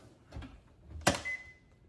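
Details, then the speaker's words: GE QuietPower 3 dishwasher (GLD4500N10WW) after door interlock switch replacement: the door shuts with a thump, then one clean half-second beep, a normal door-closed signal showing the switches read closed. "It beeped, so it thinks the doors are closed."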